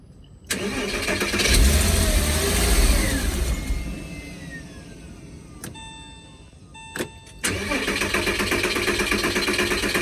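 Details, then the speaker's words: Project Porsche Boxster: it cranks, catches and runs ragged with sharp pops and bangs, misfiring and backfiring, with a hissing sound of unknown source. "All right. It's backfiring. Every time it misfires. I hear a hissing sound."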